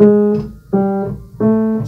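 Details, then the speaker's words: Steinway grand piano, key G-sharp 3: repeated note with a small sharp rebounding click as the key is released, caused by a loose key lead tapping in the key, fixed by swedging the lead tighter in its hole. "there was a complaint that g-sharp 3 here has a rebounding clicking noise"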